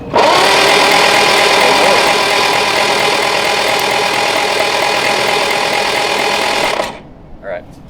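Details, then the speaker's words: Barn-find MG TC engine, not run since 1984, cranked for its first start after oil and fuel priming, about 30 lb oil pressure: steady, even starter churning for several seconds without firing, smooth and healthy. "so it can be cranked over now all right all right it's a Moment of Truth"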